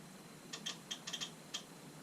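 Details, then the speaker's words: 2007 Harley-Davidson Road King, brake light always on and cruise won't set: with the rear brake switch leads shorted to recreate the fault, crisp light relay ticks switching back and forth at an uneven pace; relay works fine. "can hear the relay going back and forth so that that tends to indicate that the relay is working just fine"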